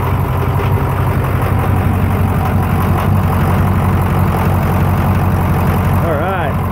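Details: Rebuilt Ford Super Duty diesel, first fire after the rebuild following long cranking and priming: steady, even idle with a smooth low rumble and light injector clatter, no knocks or misses. Sounds healthy.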